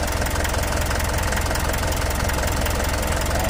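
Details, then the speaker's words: 4M42 diesel after injector work (damage blamed on missing fuel filter), just started after reassembly, exhaust smoking. Even, steady diesel clatter at idle with no misses or knocks; runs clear. Normal diesel idle. "Sige, start. Yun, lumandar na. Observe lang muna natin mga parikoy. Yung usok niya galing yan sa ano, tambutso niya. Oh, ang linaw ng andar mga parikoy."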